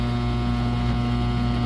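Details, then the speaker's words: COMFEE' portable mini countertop dishwasher mid-cycle, noise getting louder and louder: steady low buzz over a strong hum with no change in rhythm; abnormal buzzing, source not identified. "The noise is just getting louder and louder."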